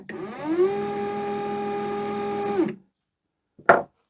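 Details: Securalift garage door opener after repair of a suspected bad solder joint, run again; smooth steady motor whir ramps up, holds an even tone about two seconds, winds down and clicks off; running normally.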